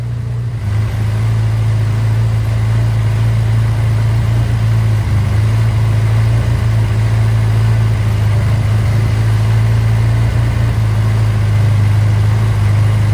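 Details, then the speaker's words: Austin-Healey Sprite with a newly fitted 1275cc A-Series engine, first run, after the throttle was backed off from too high an idle: a steady, even, smooth idle with no misses or hunting, at the right speed for setting the ignition timing. "That sounds like a good RPM to get the timing light out."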